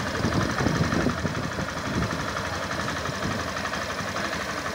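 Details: 2021 Factor 150 motorcycle after replacing the fuel pump element that failed from running on low fuel: steady, even idle with soft regular patter, no knocks or rattles; healthy.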